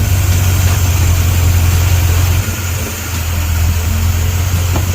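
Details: 1956 Ford Thunderbird that had been surging at idle; starting fluid sprayed around a seal to test for a leak. Deep, steady idle with a low even thrum and a brief dip, then it settles smoothly.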